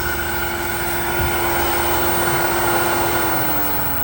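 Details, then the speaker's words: Black & Decker 1 hp variable-speed above-ground pool pump running on the medium setting (2600 rpm): steady, quiet motor hum with a constant whine and light water rush, no rattle or grinding. Normal, healthy running. "Right now I have it running at the medium speed setting. And you can hear how quiet it is. It's a pretty quiet"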